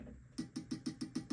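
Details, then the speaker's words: Marshall TSL100 tube amp that came in with no sound and a blown HT fuse, powered through a current-limiting bulb: eight sharp ringing knocks as the tubes are tapped ring through the speaker; the power tubes are microphonic and bad. "So you have some very microphonic power tubes, and wow, I just left you guys hanging in a cloudy and hazy vacuum."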